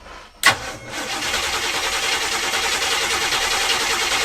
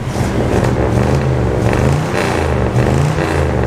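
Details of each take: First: Abandoned Winnebago motorhome cranks but won't start: steady starter cranking about 3.5 turns per second, never fires; fuel line into a bottle moved no fuel, diaphragm fuel pump possibly slow at cranking speed. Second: Abandoned Winnebago camper motorhome engine just brought back to life, running on old fuel that badly needs replacing; even low rumble that swells smoothly with no knocks or rough beats, a healthy running engine.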